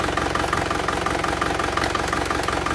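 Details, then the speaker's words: Isuzu Panther LS diesel after its liners were renewed. It limps, with a tapping clatter on each stumble. A check finds one injector nozzle giving no reaction, and this is causing the limp; the nozzles are still to be serviced. "ini kita periksa yang tidak ada tenaganya itu di nomor EMP jadi Noel nomor itu tidak ada reaksi jadi inilah yangatkan mesin pincang"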